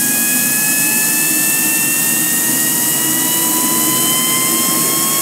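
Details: Home-built 220 lb thrust turbine engine, stored 2.5 years, started with compressed air and with its fuel pump run by a rheostat (somewhat hot start): a steady high whine with a slowly climbing tone, running smoothly.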